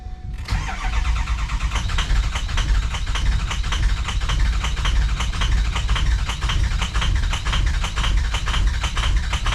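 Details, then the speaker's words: 2003 Ford F350 6.0 PowerStroke diesel after running out of fuel and refuelling; starter cranks on and on with only a cylinder or two catching now and then — extended cranking because the fuel rail is completely empty. "It's the it's hitting on a cylinder or two, just getting some fuel back up to it. Fuel rail's completely empty."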